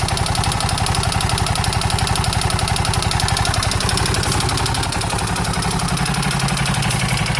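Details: KTM 640 LC4 idling single with hard, regular knocking about four per second on the firing beat; abnormal internal knock, owner unsure whether top end or bottom end.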